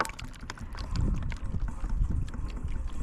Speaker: En tout cas, j'entends le glouglou dans la cuve. J'entends le glouglou. C'est bon signe.